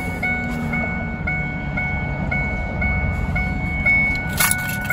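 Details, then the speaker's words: 2002 Ford F150, key out and radio staying on: steady high chime beeping about twice a second and never stopping; chime sounding constantly, traced to a faulty wiper motor back-feeding the circuit, not the ignition switch. "the other thing that i'm noticing is i have a beep but it's a weird beep"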